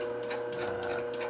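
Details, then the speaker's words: Globe SP08 mixer kneading a 3.5 lb batch of 53% hydration dough, within the manufacturer's limit: steady motor hum with a dry creak about three times a second, typical with heavier, lower-hydration doughs. "Specifically, it tends to happen with lower hydration, heavier doughs or enriched doughs."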